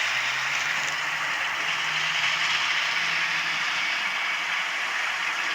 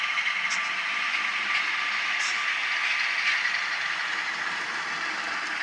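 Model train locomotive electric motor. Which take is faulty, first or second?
first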